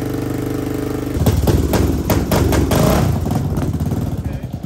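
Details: Yamaha Raptor 660R single-cylinder ATV with a fresh top end, adjusted valves, new battery and no air filter. Steady thumping idle echoing off a tree, then several sharp throttle blips that rise and fall cleanly; normal running.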